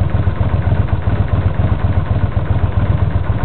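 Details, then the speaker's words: 1982 Honda GL500 motorcycle after tune-up with valves adjusted, idling at about 900 rpm (redline 10,000): low, even putt-putt with no misses or backfiring, a smooth, well-tuned engine. "That engine is perfectly tuned. If it can run at this low revolutions per minute, it means the engine is doing great. This is a really good bike, mechanically very smooth."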